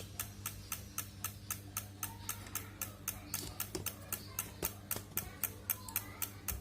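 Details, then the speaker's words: Honda Vario 110 LED CBS ISS scooter, ignition on, won't crank: starter relay only chatters tek-tek-tek, about four a second. The battery is weak. "tuh kalau di starter cuman bunyi begini aja ya tuh malah bunyi tek tek tek tek doang"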